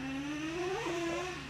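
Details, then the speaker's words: Traxxas Revo 3.3 nitro monster truck after sitting 10 years, engine warm, driven slowly: screaming engine climbs in pitch then drops abruptly as the two-speed transmission shifts into second far too early. "it's like instant so I'll go slow with it and then you'll hear it it shifts seems like way too early there it is Boom surely you guys heard"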